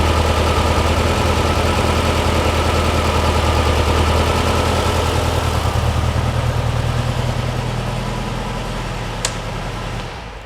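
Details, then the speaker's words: Porsche 356 Speedster VW-kit air-cooled engine idling after remote oil filter hose swap for oil over-pressurization, oil cooler warm, pressure down to 40–45: smooth even idle pulse, no tapping or knocking, easing off at end; healthy idle. "cooler is getting warm so it is circulating obviously that's what you want sounds good yeah we're down to 40 45"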